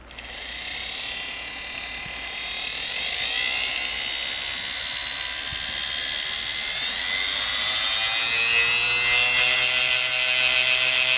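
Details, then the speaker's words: Singer Model 99K sewing machine RF5-8 motor after restoration with brushes/carbons replaced and commutator cleaned, test run before pulley is refitted; smooth, even high-pitched hum at steady speed, no scraping or ticking; sounds good, normal motor run. "Sounds good, huh? Sounds nice."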